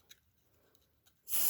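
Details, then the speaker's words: Rare early Dicon 200 smoke detector (no LED) tested with cover off; a few faint ticks, then a loud piercing steady high-pitched shriek comes in quickly, alarm horn working on test. "Okay, it worked that way. It sounded quickly, too."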